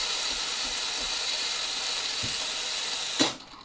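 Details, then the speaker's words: Philips LatteGo espresso machine during milk frothing: a steady steam hiss for about three seconds that then cuts off. Such valves still make the first milk but steam keeps hissing inside, so the leaking water valve needs replacing. "wiadomo tych mlek trzeba zrobić kilka bo te zawory psują się w taki sposób że on zrobi pierwsze mleko ale widzicie cały czas syczy ze środka para czyli zawór wody do wymiany"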